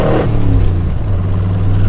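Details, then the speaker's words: 1974 Chevrolet K5 Blazer with a 350 four-barrel V8, Holley carburetor, side exhaust and 3.73 gears, 14,664 original miles, heard in low gear at about 10 mph before it shifts. Deep, even rumble with no knocks or misses. Normal V8 acceleration. "But we're in low right now and we're at about 10 miles an hour and it needs to shift. So I want you to hear how it sounds. It's got a little bit of runs good."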